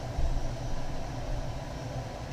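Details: Englander 25-PFS pellet stove, heat range turned up with augers feeding: steady, low, even fan motor hum, no rattle or scraping, running strongly.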